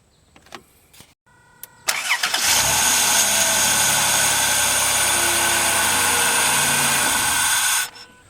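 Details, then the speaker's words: 2005 Dodge Grand Caravan after unplugging the shorted EGR valve, restoring the 5 volt reference: starter whirs briefly, engine catches at once and settles into steady even idle; normal start, EGR valve to be replaced. "Yeah, that got it. So that EGR valve is bad, and you can see it started right up and I kept my 5 volt reference."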